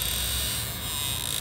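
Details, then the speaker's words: Ram Promaster HVAC blend door actuator above the gas pedal, switching hot to cold: thin strained electric buzz with pulsing creak as the motor struggles to move the white arm; actuator gear teeth stripped, to be replaced. "See it fail because the teeth are stripped on the actuator motor."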